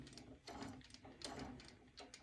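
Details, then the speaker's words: Hope Woodturning MK2 thread jig, female thread in a 12 mm hole drilled in beech, cutter advanced one click to touch: short scraping bursts about every 0.75 s over a steady whir; cutter lightly rubbing the wood. "donc je vais installer le système à la place je vais avancer d'un clic et vous écoutez que la fraise frotte le"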